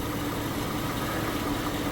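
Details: Truck 5.3L LS V8 after swapping to F-body oil pan and windage tray, bolts not yet torqued to spec: steady, smooth idle with even low hum, no knocks or misses; runs cleanly.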